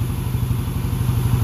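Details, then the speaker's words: Small single-cylinder motorcycle after same-day engine overhaul (head and block, carburetor serviced, coolant, timing set), TS Racing 28mm exhaust; crisp even low thumping idle with no misses, stumbles or clatter, running smoothly. "Dan sedap lah bunyi dia."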